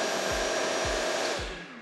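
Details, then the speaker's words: Makita 40V mitre saw with wirelessly paired Makita VC4210MX2 1200W M-Class extraction vacuum on auto: steady motor whine and vacuum rush, vacuum runs about 10 seconds after saw switches off, smooth wind-down; normal running. "The vacuum keeps running for around about 10 seconds once you've switched off the saw, but it all sounds good."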